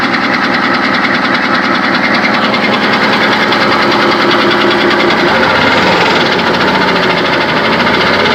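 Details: 6.5 diesel truck with about 300k miles, noise started suddenly: the engine idles with a steady rapid knock and a high, wavering squeal riding over it; cause unknown.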